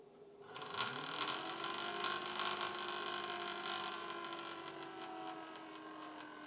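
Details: Home-built PC that rattles at startup and is louder than before: the fan spins up to a steady hum with a harsh, uneven rattling buzz as its blades hit a stray cable.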